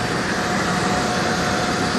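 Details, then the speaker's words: Cement plant bucket elevator head, running: a continuous heavy roar with even chain-and-sprocket meshing and no doubled knock, meaning the sprocket and chain pitch are good. Elevator temperature is fine. Healthy. "On a un engrainement bien régulier qui veut dire que le pignon est bon, que le pas de la chaîne normalement est bon aussi."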